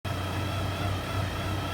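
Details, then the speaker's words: 2006 Hummer H3 with 4L60 transmission at idle: steady buzzing high-pitched whine with low hum, resembling transmission pump whine or cavitation, traced to the bell housing area; shown not to be the transmission itself. "so basically what that noise is is coming from the bell housing"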